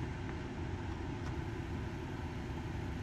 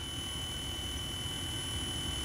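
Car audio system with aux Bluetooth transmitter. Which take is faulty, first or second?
second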